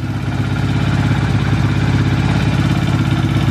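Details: Quad (ATV) on a test of a rewired electrical system, starter relay connected, no ignition switch fitted: the engine catches and settles into a steady, even idle thrum with no knocks or misses.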